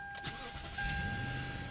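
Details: 2013 Lexus LS460 with newly installed add-on factory-remote start, taken out of valet mode: brief starter whirr, then engine catches cleanly and settles into smooth, quiet idle; remote start working properly.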